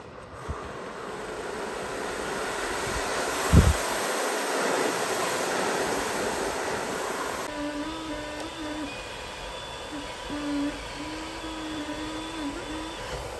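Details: Dyson Pure Cool Me BP01 fan/purifier: steady airflow rush with a wavering buzz and high whistles that grow louder at higher speeds and stop without the filter, from a dirty filter-to-case seal; fixed by cleaning and reseating the gasket.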